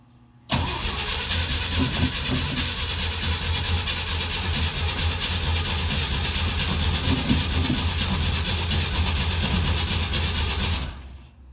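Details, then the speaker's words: 1969 Jeep Willys CJ5 sat about 7 months over winter, cold spring start on jumper cables after dead battery, choke partly pushed in: about ten seconds of continuous uneven cranking, never catches; cranks but won't start. "Get a whole lot of cranking. There, we got power now. Is the choke on? Yeah, I'm gonna push it in a little bit. The cranky don't start."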